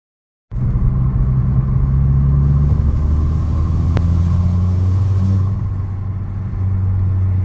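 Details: VW Golf Mk5 GTI under load: deep steady engine rumble with a faint airy hiss on top; boost leak suspected at the diverter valve, not confirmed.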